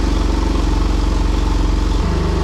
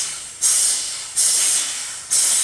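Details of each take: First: Porsche 996 Turbo, running again after fuel, boost and vacuum leak repairs: even, smooth flat-six idle with no misfires or air-sucking hiss, then a clean rise in revs; runs really well. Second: Porsche 996 Turbo on a homemade boost leak tester: sharp bursts of high air hiss each time air is fed in, fading between. Air escapes at the intake boot, which cannot be pushed fully on.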